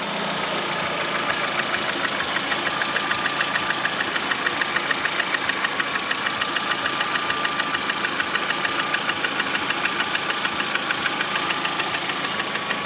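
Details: Lada Priora 2009, 37,000 km, knock began 500 km after adding Suprotec: sharp even ticking knock about three per second at idle; engine knock, cause unconfirmed.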